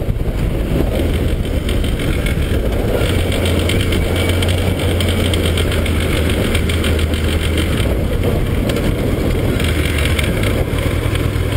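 A motorcycle engine idles steadily with a dense, rapid clatter layered over its low rumble. Cause suspected, not confirmed.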